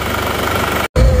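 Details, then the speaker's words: Diesel Panther after new piston rings, liners and oil leak repair, nozzles checked about 85–95%, warmed about a minute: even, steady idle clatter with no knock standing out, running smooth; normal idle. "kita dengarkan dulu suara mesinnya terasa halus seperti ini suaranya seker baru ring seher baru liner"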